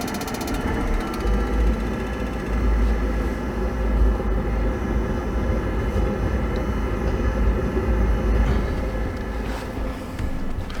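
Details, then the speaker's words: Furnace in a horse trailer's RV living quarters on its first run after winter, on a cold day: a steady low roar from the blower and burner with no knocks or squeal; normal operation while burning off debris. "Oh yeah. Alright, now we'll let that run for just a few minutes to burn any bugs or anything out of the furnace."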